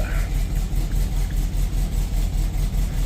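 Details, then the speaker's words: 1972 Volkswagen Beetle air-cooled flat-four, about 12,000 miles on the engine, just after an oil change: steady even low chug, still a little rough but settling; normal idle. "That's the sound I'm used to. There we go. Yeah. Still riding a little rough right now. Okay, but it's on its way."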